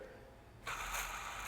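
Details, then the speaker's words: 2012 Toyota Camry four-cylinder, 93,000 miles, engine being taken apart: dry scratchy rasp with faint ratcheting from the belt tensioner; worn plastic-housed tensioner, replace with the updated metal-housed one. "that doesn't sound very happy this is a tensioner and this is something by the way if you own a 2arfe or even one AR this tensioner got updated"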